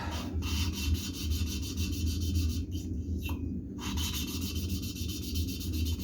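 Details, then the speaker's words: VW 1776 engine cylinder head valve lapping, fine finishing paste after the coarse grit: soft, even back-and-forth rubbing strokes with no gritty rasp, the valve seat now lapped smooth. "On entend maintenant que le bruit est beaucoup plus doux. Hein. Le frottement."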